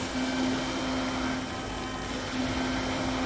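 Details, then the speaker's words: Eberspacher Hydronic 30 kW heater start-up with diagnostic unit connected: smooth even fan whir with water pump hum, no rattles or scraping; combustion fan running normally and the unit starts. "okay you can hear the water pump also the fan"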